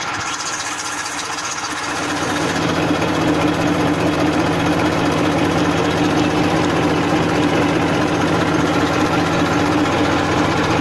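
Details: 1994 Massey Ferguson 1035 DI tractor diesel: brief lift in revs, then settles to a steady, even idle hum with no knocks or misses; normal, healthy idle.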